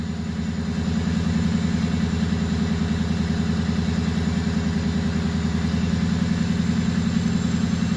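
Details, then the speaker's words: Fully warmed flatbed truck engine revved just above idle: uneven pulsing chug from a misfire, starting around 900 rpm, worst near 1,000–1,100 rpm, milder above 2,000, fine at normal idle; camera shakes. "So I'll rev it, guys, and then you'll start hearing the misfire and seeing the camera move."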